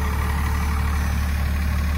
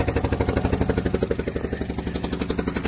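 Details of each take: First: 1997 2500 with 12-valve Cummins diesel, four-wheel drive, cold start in snow without block heater: steady, even low diesel clatter at idle with no hunting, misses or knocks; owner says no blow-by; healthy normal idle. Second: 12-valve Cummins cold start after sitting a long time, idling: quick regular puffing tick about four a second from an exhaust leak near the back side of the head, possibly a cracked or busted spot.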